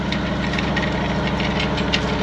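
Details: 1994 Pontiac Trans Am GT V8, sat 17 years, running after a new injector was fitted and a plug refitted; oil pressure great: even, steady idle with a regular low pulse, no knocking or misfire; normal idle.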